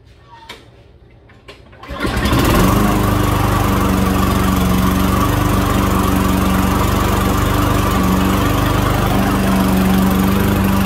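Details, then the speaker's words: Tecumseh engine on a Toro residential walk-behind mower, after carburetor rebuild with kit (was hard to start, needed constant priming), primed three pumps: catches after two seconds, settles to a steady, even buzz with no stumbling; running healthy. "okay so there you have it you heard it run you heard it start up"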